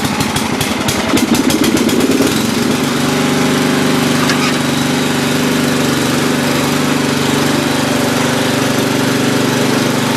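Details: Free old Lawn Chief (Murray) riding mower, reportedly used last year and needing a tune-up, started twice in a row: brief start-up clatter, then the small single settles into a steady, even putter with no misses or knocks.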